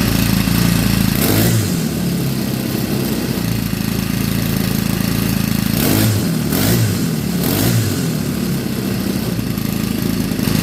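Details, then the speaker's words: Craftsman WS 4200 30cc four-stroke weed eater with new replacement carburetor, mixture screw two and a half turns out; revs crisply, settles to steady idle, picks up again without stumbling, unlike before when it bogged on throttle; normal running. "it actually runs a lot better than it did before when I would get it to start because when I would get it to start before even when I hit the gas it would bog out"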